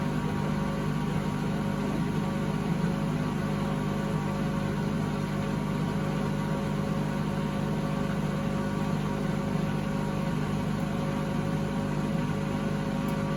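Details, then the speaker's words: 2012 Beko WMD261 washing machine, removed for being unbearably loud per previous owners, on spin and drain test: pump drains fine but a steady low drone and heavy, rough rumble sounds like washing undissolved tabs, typical of worn drum bearings. "I expect everything works, it's just the noise faults and what the previous owners were telling me when I fitted the new one in. It became unbearably loud to use."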